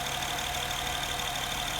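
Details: Honda Pilot after 180,000 km service at an outside shop, recorded from above and from the side under the wheel arch, at idle: fast light ticking over the engine; valve clearance was not adjusted, adjustment to follow.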